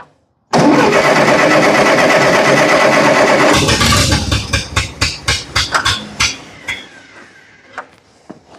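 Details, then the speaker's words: Massey Ferguson TO30 tractor, about 70 years old, revived from non-running, while engaging the three-point hitch: roars then falls into ragged uneven chugs and pops; rough running, owner suspects a fueling issue. "let's try it again see if I can't get the three-point working sounds like we got a fueling issue"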